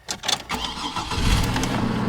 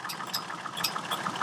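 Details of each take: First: 2006 Chevrolet Trailblazer cold start, hood open: brief crank, fires right up and settles into a steady even idle with no misses; engine sounds healthy. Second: Chevrolet Trailblazer idling: sharp light clicking from the cooling fan, about four clicks a second, sometimes worse, sometimes constant; fan parts fairly new, cause unknown.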